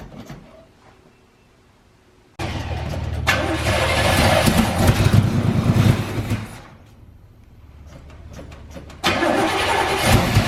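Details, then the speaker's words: 1984 GMC Sierra C25 3/4 ton, 454 big block, sat 19 years, first start attempt with gas poured in the carburetor: loud rough bursts and backfire, won't keep running; fuel drained out the exhaust, new tank and sending unit expected to fix it. "god that rattled the building oh she backfired pump a little bit looks like well that's not what you want to see"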